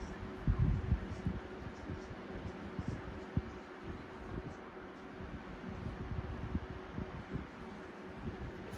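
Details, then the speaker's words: 1994 box fan blade, running: steady, even rush of air with faint constant hum, no wobble, rattle or knock; blade well balanced, normal running. "that blade is well balanced and rightfully so i mean for all it is a 1994"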